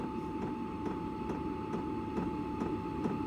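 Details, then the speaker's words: Hcalory diesel air heater in a camper, room up to temperature, cooling down before shutoff: steady fan hum at a fixed tone with soft pump ticks about twice a second; normal cool-down. "It's going to cool itself down and it's probably reached its temperature in here. So, wow. Cool. This is going to save a lot of lot of fuel and a lot of energy in here."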